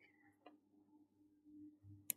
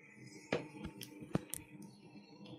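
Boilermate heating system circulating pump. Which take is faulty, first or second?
first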